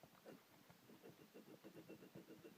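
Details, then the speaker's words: Dnepr motorcycle gearbox input shaft bearing, hand-spun on the bench: gritty, uneven rumble; bearing is rough and worn and will be pulled and replaced. "hear that bearing how rough it is so i'll have to take this to work"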